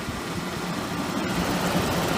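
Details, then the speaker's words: 1994 2.5-ton unbranded air conditioner outdoor unit, Bristol reciprocating compressor, A.O. Smith fan motor, on a hot humid day: steady loud rushing air with low buzzing hum; condenser fan noisy and vibrating, compressor barely audible. "vibrating yeah the Fan's very noisy and you can barely hear the compressor"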